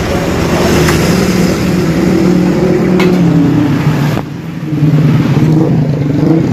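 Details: Motorcycle restarted on electric starter after reviving a weak wet battery (was 10 volts; charging 13.5–14 V normal); starts and settles into a steady even idle, no misses or knocks; normal idle.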